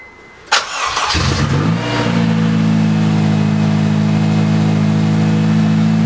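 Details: Honda K24 engine swap on its first start after priming, exhaust open pipe with no header connected. Cranks, catches and settles into a loud raw idle with an odd noise on firing; thought to come from the intake, not confirmed.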